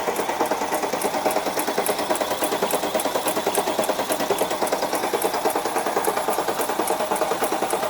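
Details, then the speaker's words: Supercharged Mercedes C63 AMG after rebuild with new lifters and cams, cranking without fuel system connected; fast light even ticking about three per second, likely fresh lifters not yet pumped up at first start. "okay um that definitely sounds like lifter noise when you do brand new lifters and new cams and new everything you can get that especially at first start"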